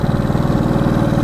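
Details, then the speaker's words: 1970 Honda CB350 motorcycle after sitting a year, battery reading 12.96 V: steady, even low thumping with no crisp rise in pace, bogging instead of pulling out of first; owner suspects old gas, unconfirmed. "bogging a little bit old gas maybe I don't know little boggy like she should rip out of first"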